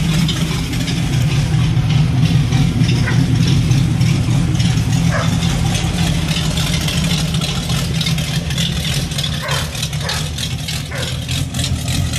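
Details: Fox-body Mustang after an IRS swap, no mufflers and an off-road H-pipe: loud open-exhaust idle with an uneven, lumpy pulse and occasional stumbles; running really rich, cause not yet diagnosed.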